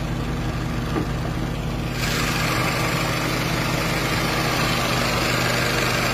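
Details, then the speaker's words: 1997 Toyota Corona, automatic, petrol: steady, even low idle with smooth unbroken beat, no knocks or misses; no conrod or other engine noise, no white smoke; normal healthy idle. "เครื่องดีนะครับก้านชาร์ปไม่ดังนะครับดาวไม่ดังนะครับ"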